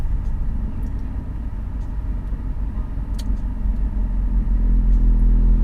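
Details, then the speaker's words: BMW E46 with Revshift 95A polyurethane engine and transmission mounts: deep, even rumble as idle settles to about 700 rpm, stiff mounts passing vibration into the body; expected, may ease as mounts break in. "once the engine settles down to about a 700 rpm idle you get that vibration right there which in my experience been pretty normal with every car that the market engine mounts I guess something kind of live with"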